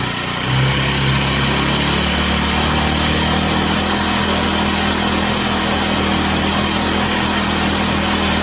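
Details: Chinese Amazon mini bike small single-cylinder engine after first start, run on a table to get hot: even buzz rising in pitch as revved, no knocks or misses, chain flinging oil; runs clean.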